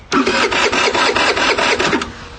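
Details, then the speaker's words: MVP 49cc Chinese scooter that never started after being left out in rain: starter spins the engine at a steady pulse for about two seconds but it never fires; fuel not reaching the carburettor through the petcock, later traced to a rotten vacuum hose. "I left it out here one night and it rained and it never started since."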